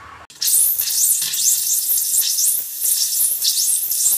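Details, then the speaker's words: Hot water faucet after installing a Watts 500800 recirculation pump and opening the supply valve: harsh, irregular hissing and spitting bursts, a bit under two per second, no low tone; sputtering as air purges from the hot lines. "So here we can see the air being purged from the lines, and water will start to come out. And so we'll wait until it starts coming out without any air."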